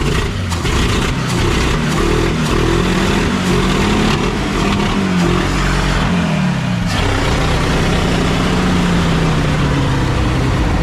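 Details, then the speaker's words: 1952 Packard 327 straight-eight with the exhaust downpipe removed, after about 2 lbs of cat food were cleared from the exhaust and a vacuum leak was plugged. Loud, raw open-exhaust rasp swelling with each throttle blip. "I put the down tube from the for the exhaust off and that is no longer there so we're I just want to hear it again and it should be loud"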